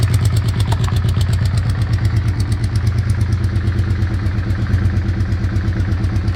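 Rapid, regular ticking of about three beats a second rides over a low idle, steady throughout; source of the noise is unclear.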